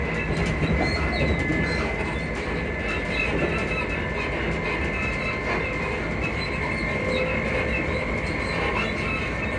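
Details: Class 334 unit 334031 rolling on the Haymarket–Bathgate service: irregular high squeaks and a faint steady squeal over the wheel and rail rumble. A suspension squeak is suspected, source unclear.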